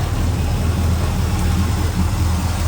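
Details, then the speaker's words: Small-block Chevy V8 (hydraulic lifters) idling right after rocker arm valve lash adjustment while running, done to cure valve train chatter: steady deep rumble, valve train now quiet, no ticking; may need a little timing. "All right. Waddle sounds good. Oh, look at all it's quiet."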